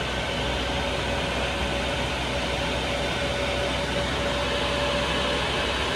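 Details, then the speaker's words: Chinese diesel heater in campervan after glow plug replacement fixing E-3 heating element error, on H1 setting with covers back on: loud steady air rush with even hum, hot and much quieter; normal running. "Oh my days this is hot and it's so much quieter"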